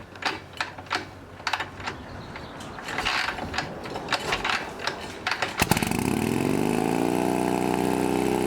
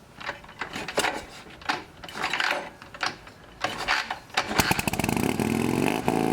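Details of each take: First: Harley Shovelhead V-twin chopper running a new S&S knockoff carb. After a throttle cable fix for its high idle, it fires after some clicking and settles into a smooth, steady idle with no misses. It smokes heavily; owner wonders whether it needs a rebuild or head gasket. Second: Shovelhead chopper with new S&S-style knockoff carburetor: a few sputtering catches, then a fast steady rev near 3000 rpm even with idle screw fully out; a metal spacer, suspected of pulling the throttle cable, holds it open.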